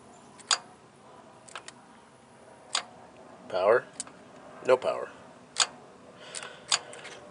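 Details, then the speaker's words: 2015 Ram 1500, engine off, A/C compressor clutch jumpered directly from battery: sharp single clicks about a second apart as clutch engages and releases cleanly, so coil works; faulty connector, not compressor, blamed. "here goes the positive and we'll see if we hear that clutch engage hopefully you're hearing that but I can probably get you to see it too so the clutch is engaging"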